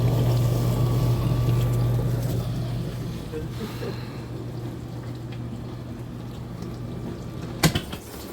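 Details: Frigidaire dishwasher running after replacement of a defective, loud motor: low steady pump hum with water sloshing and spraying, running smoothly and quietly.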